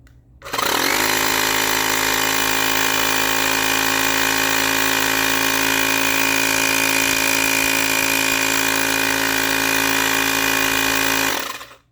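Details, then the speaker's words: Portable mini tire-inflator air compressor, battery removed and wired to run directly from wall power; starts cleanly and holds a steady buzzing drone with high whine, stays cool, running normally. "Ó, aqui pode ver que tá normal. Aqui também tá frio, não tem nada esquentando, tá? E tá funcionando aí, ó, sem a bateria."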